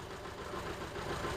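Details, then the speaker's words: 2007 Honda CR-V, P0304, idle and stalling after AC repair and module replacements; uneven lumpy idle with regular skip; scope shows cylinder 4 injector getting no pulse despite injector replaced. Cylinder 4 misfire. "right now I'm not seeing them blue yes I am but it's not firing at all I wonder why they say they replace the injector and still having that issue"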